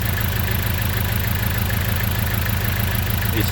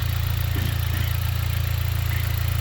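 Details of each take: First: Engine at idle with a failed ignition coil: rough, lumpy idle with an uneven beat of about 98 per minute, the engine shaking and unburned fuel smelled; one cylinder is misfiring. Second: 2010 Dodge four-cylinder idling two minutes after its failed ignition coil was replaced: a low, even idle with a steady soft pulse and no stumbles or misfires; it now runs smoothly.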